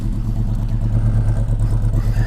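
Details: Volvo 145 idling just before a test drive ahead of its MOT in Finland; steady, even idle with a deep, loud exhaust throb and no misses or knocks; owner says it runs okay and likes the sound. Normal idle.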